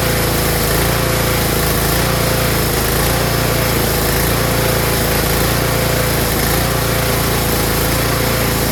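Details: Tecumseh snowblower small engine surging (hunting) at idle, pitch drifting up and down unevenly, caused by a clogged carburetor pilot jet; fixed by cleaning the pilot jet.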